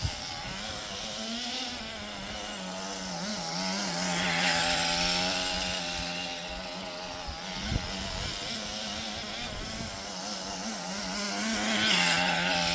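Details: Roughly 20-year-old restored HPI Nitro Rush Evo nitro RC buggy with new glow plug and fresh fuel, warmed up and tuned, driving around the garden: high buzzy engine holding steady pitch, rising smoothly on throttle, running properly.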